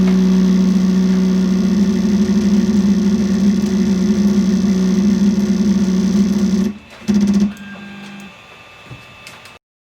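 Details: Creality Ender 3 3D printer during auto-homing: a loud, rough grinding drone as the Y-axis motor keeps forcing the bed back because the Y endstop switch is not hit. The fix is extending the switch with tape or a printed cap.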